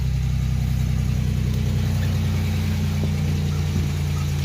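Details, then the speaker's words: 1987 Chevrolet Celebrity Eurosport 2.8 V6, 237k miles, cold start after installing MagnaFlow high-flow catalytic converter and all-new exhaust with dual-outlet muffler: deep even idle, smooth low exhaust note, no stumbles or rattles; much better than before. "It is cold. I've not fired it up at all, so here goes nothing. So much better."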